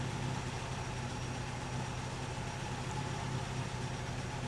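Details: 1964 Triumph TR4 rebuilt engine after refitting the new distributor rotor in place of the worn old one: steady even low idle with no misses; scope shows all cylinders back to normal, cylinder 4 slightly different.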